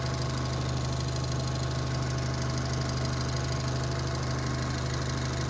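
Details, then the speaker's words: Daewoo Matiz fitted with a Chevrolet Spark 1.2-litre petrol engine, shown at a workshop after the swap: smooth, steady low idle hum with an even beat, and no knocks, shakes, vibration or misses. "Bog'olasa ishlashlari qiliq. Titrash, detonatsiya, silkinishi yo'q umuman."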